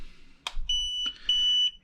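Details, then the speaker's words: Voyage Aeronautics VA-2080 micro drone remote switched on: sharp click, then two steady high half-second beeps as it binds; normal pairing beeps. "turn on the remote you'll hear some beeping and some flashing hopefully you guys can see that then you go up down and it's both of them stop flashing and that's when it's bound"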